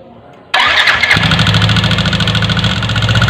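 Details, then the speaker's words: Yamaha NMAX (older generation), cover removed, idling: fast, sharp metallic ticking heard through a screwdriver used as a stethoscope, loudest in the cylinder head. The cause is a broken exhaust rocker arm bearing. "bisa didengar oke berarti real ada suara terbanyak di bagian head bagian head itu komponennya sangat banyak nggak bisa anda tembak satu ini gitu nggak bisa ya jadi harus lakukan pemeriksaan"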